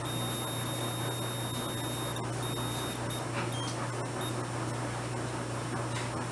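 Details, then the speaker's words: Volt-ohm meter continuity tester with probes across metal: thin, very high steady beep coming and going over a low mains hum; continuity beeper working despite a suspected faulty 9 V battery. "that's such a high pitched squeal i can barely hear that wow i'm gonna have to go to the hearing doctor i'm here with my right ear okay well it works all right"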